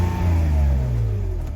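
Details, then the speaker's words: BMW E46 330Ci with misfires on cylinders 1, 2, 6 and MAF code, no vacuum leaks, MAF unplugged to run default fuel map: engine revs up and falls back cleanly, smooth even pitch, no stumble; MAF sensor or its wiring suspected faulty. "she's running running like a dream"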